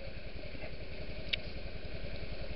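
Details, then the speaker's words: Warm idle on a Honda Jazz/Metropolitan scooter after a new spark plug at about 700 km. It now starts more easily and runs much better, with a quiet, steady, even single-cylinder putter and no misses: normal idle. "this one starts more easily and it's running much better. I can already hear it with the new spark plug."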